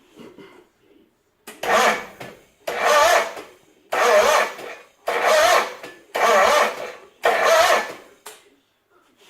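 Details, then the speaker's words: 1980s John Deere engine with shrouds off, six sluggish one-second cranking bursts, never catching; battery reads 12.65 V but drops when cranking; slow cranking, no start. "And the symptoms were that it was cranking very slowly and barely at all, and it wouldn't crank it enough to fire it, that's for sure."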